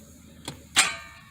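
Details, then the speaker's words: 2013 BMW 5 Series with 130,000 miles, overheated engine that won't start and is stuck in park: a single sharp clunk with no cranking as the starter, which a shop found OK, hits the seized, locked engine. "that's the sound of a seized engine over here you can see how we can draw all the energy but he's not starting"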